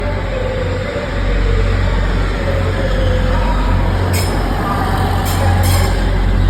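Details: Grand Central Class 180 arriving at York alongside a TPE Class 185: loud train rumble with thin wavering squeal tones drifting up and down as it slows; screeching on arrival, cause unconfirmed.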